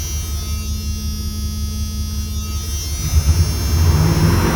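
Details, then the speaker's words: 1997 Dodge Ram 1500 V8 running really rough and smoking, "on about one cylinder": a lumpy, uneven, stumbling idle. The owner suspects the timing chain jumped a tooth; this is unconfirmed. "I think maybe the timing chain jumped a tooth or something running really rough and uh smoking"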